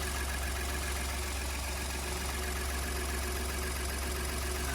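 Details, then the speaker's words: 2015 Ford F150 idling on first start after exhaust manifold, turbo and turbo cooling line install; smooth, even low drone with no knocks or hiss; owner heard an unexpected noise as the new turbo started up but it runs. "Turbo's starting up for the first time, and I didn't know they'd make that noise. It runs."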